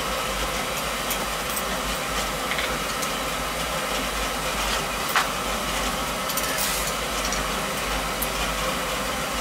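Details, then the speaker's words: Oil-fired boiler that tripped the main panel breaker as the burner came on, retested after a part found full of water was dealt with and circulators and control reinstalled: steady, even roar and hiss, burner staying lit; normal burner operation. "Yeah, staying on."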